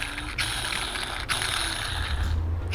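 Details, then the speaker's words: Ford Mondeo Mk3 long driveshaft removed during dual-mass flywheel and clutch job, rotated by hand: gritty, crunchy grinding from the worn support bearing, discoloured blue/purple from overheating; replacement ordered. "as you can hear the bearing is really really grunchy"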